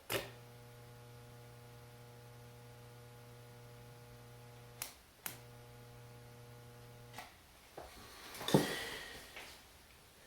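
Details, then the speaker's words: Microwave-oven transformer Lichtenberg wood burner powered through a dead-man switch: low, steady mains buzz that cuts out briefly and returns, then stops; normal transformer hum. "you can also hear the transformer buzzing as well so you know whether or not you're getting anything"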